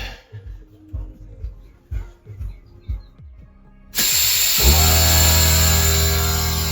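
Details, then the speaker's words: Workshop air compressor feeding a newly installed wall-mounted Tailonz tubing system, final leak test: handling clicks, then the motor runs with a steady loud hum and hiss building to its 100 psi max. No leak hiss heard; running normally. "It should pressurize and it gets to 100 psi. Won't be able to really hear that you have any leaks until it gets full compression."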